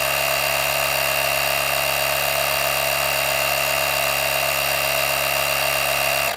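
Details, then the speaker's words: Auxito AJ01 portable jump starter's built-in air compressor inflating a golf cart tire from 12–13 psi toward 20 psi: steady high buzzing drone with bright hiss for six seconds; pumps slowly even at low pressure. "Well, for the sake of this video, this is it does pump up pretty slow, even on the low pressure."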